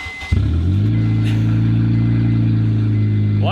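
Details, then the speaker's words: Honda Civic with no pipes after the catalytic converter, before a cat-back install: a deep, loud droning idle with a booming low tone after start-up; open exhaust after the catalytic converter. "Of course, with any exhaust work, especially when you have like no pipes and only catalytic converter, you have to see what it sounds like."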